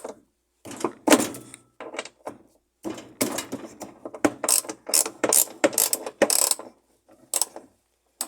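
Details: Consul 10 kg top-load washing machine that stopped working and scrapes: harsh, irregular bursts of grinding and ratcheting as it agitates, from a clutch/brake assembly clogged with rust and dirt.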